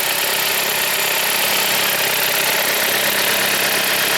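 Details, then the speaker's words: 2007 Chrysler Sebring started after replacing the hardened, leaking valve cover gasket and the belt: steady, smooth idle with no ticking or knocking, no oil leaks seen; sounds good, normal idle. "So what do you think, guys? The car is running. It sounds good."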